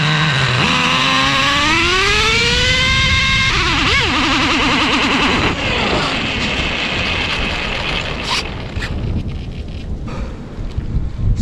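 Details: Traxxas Revo 3.3 nitro with newly installed THS Racing tuned pipe, engine a little cold and tuned really rich, untuned yet: high buzzing revs climb smoothly, then the note falters and sags on the two-speed shift into second.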